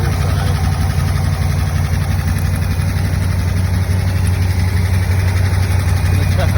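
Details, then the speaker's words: Buick Nailhead V8, carbureted, first start after replacing the rocker shaft assembly, lifter preload .040: steady, even idle with smooth low rumble, valve clatter and tapping mostly gone. "Sounds good. Way better than it did. Way better."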